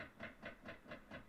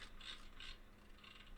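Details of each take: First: Nissan Titan at key-on after the HVAC control dial was reassembled. Soft, rapid clunks repeat about four times a second behind the dash: the HVAC blend door actuator clunking, called a typical Nissan problem. The fan speeds work. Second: Nissan Titan HVAC control panel, engine running, reassembled dial rings: blend door/AC control dial steps through crisp even detent clicks, switch healthy; fault was blower regulator and a worn HVAC door actuator clunking under dash.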